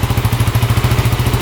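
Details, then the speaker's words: 2008 Kawasaki KFX450 quad at idle: crisp, even single-cylinder thumping, about twelve pulses a second, with no knock or miss. Responsive, with no carb, fuel or oil leaks; healthy engine. "all right that sounds really good wow no knocking no"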